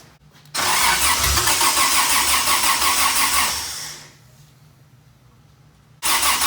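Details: Toyota 2F engine, first start after a year-long full rebuild, following flooding and a recharged battery: catches quickly, runs strongly for about three seconds, winds down, then fires again cleanly; healthy start.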